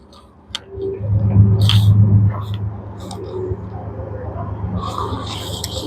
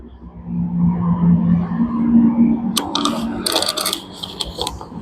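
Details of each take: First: Super General single-door mini fridge on 230 V with the overload and PTC relay removed: a click, then a loud low mains hum as the compressor strains but fails to start. The overload protector has tripped from overheating, showing no continuity. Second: Single-door Super General mini fridge compressor running normally with a steady low hum and some metallic clicks, after a burnt PTC starter that had caused ticking and no running was bypassed by joining wires.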